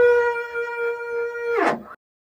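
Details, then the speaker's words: New Bambu Lab P1S 3D printer on a self-test retest: a steady pure motor tone holds about 1.5 seconds, then sweeps down quickly; calibration is normal and the self-test completes at 100%. "We just reached 100% and it says self-test complete. Your printer is ready."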